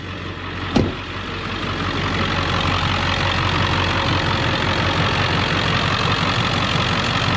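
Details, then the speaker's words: 2001 Ford Excursion Limited 7.3L Powerstroke diesel 4WD, 142k miles, heard under the hood, freshly serviced with coolant flush, filters, transmission service, new batteries: steady, even diesel clatter at settled idle with no misses or knocks; healthy idle. "But anyway, all right, let me show you underneath the hood, let you hear it run."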